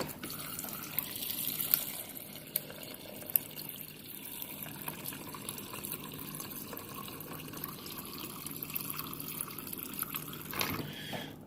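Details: Whirlpool Gold French door refrigerator water dispenser filling a cup: steady even trickle with no pump strain, buzzing or sputtering; dispenser working normally.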